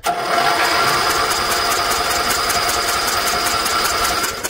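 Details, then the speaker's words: Briggs & Stratton electric-start generator from auction, not run in years, with a new spark plug fitted: steady starter whirr at an even cranking pace that never fires; no spark. "Oh, I don't think we've got a spark here, guys. No, we have no spark."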